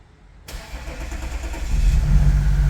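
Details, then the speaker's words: 2014 Audi SQ5 3.0 turbo diesel, high kilometres, number 4 injector blocked off: starter whirr catches into a low, lumpy idle with uneven beat, misfire because one cylinder is not contributing; diesel likely in the sump. "Oh yes, well, we got a misfire obviously because we have one cylinder not contributing, but that is fantastic."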